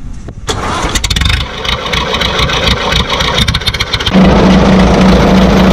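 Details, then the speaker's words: Vintage Ace crane diesel cold start on a fresh 12 V battery after a long standstill, pipe leak fittings fitted. Several seconds of uneven cranking, then it catches and settles into a steady, even idle. Normal cold start. "അപ്പൊ അവിടെ വണ്ടി start ആയിട്ടുണ്ട്."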